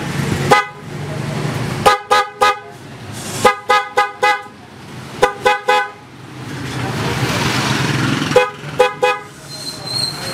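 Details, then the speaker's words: Motorcycle PIAA horn, DIY-installed, very weak even though the horn is original: short thin toots whose high and low tones separate instead of blending. The installer's wiring is suspected; the horn is to be removed to check. "So yun nga yung tunog ng busina ni boss. Medyo naghihiwalay yung high and low niya, pero hindi ko alam kung mapipick up ng ating mic."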